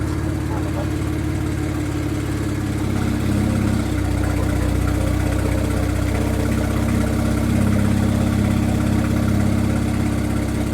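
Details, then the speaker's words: Car just back running after transmission install, engine cold; steady low idle with slightly uneven pulse, no knocks or squeals; normal cold idle. "sound good. I almost forgot what it sounded like. It's not warm. You just got to give it a second like last time."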